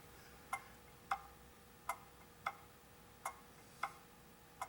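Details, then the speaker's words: Antique pendulum clock after cleaning and oiling: ticks alternate short and long gaps, about 0.57 then 0.77 s, a lopsided tick-clunk; clock out of beat, won't run continuously and would eventually slow and stop. "and what we're getting is a tick clunk pick clunk tick clunk tick clunk so we're not close enough in the beat for this to run continuously it would eventually slow down and stop"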